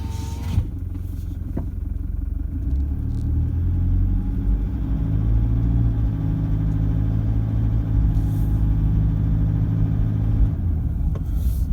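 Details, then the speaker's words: Toyota Prado diesel after injector replacement and remap, heard from inside the cab at low speed on a quiet street: steady low diesel drone with a faint rattle, sounds fairly normal. "sounds fairly normal to me with a window down"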